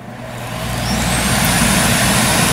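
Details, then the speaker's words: Residential furnace/air-handler blower motor wired on the black high-speed lead and bench-tested with a drop cord: even airy rush builds quickly and holds over a low hum, no rattle or scrape; normal blower motor running on high speed. "You should be able to tell by the sound what speed we're running."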